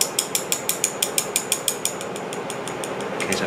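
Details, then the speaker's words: Braillo embosser during magnet rack servicing: sharp fast clicking about six per second from a loose magnet, fading out partway through. "you can hear it making that clicking noise so what you want this magnet to this amount right to do this needs to be solid"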